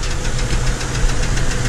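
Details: 2007 Chevrolet TrailBlazer, engine shaking at idle: rapid steady knocking under a low rumbling idle, belt noise absent; not idler pulley or tensioner, internal knock of unknown cause, left for a mechanic.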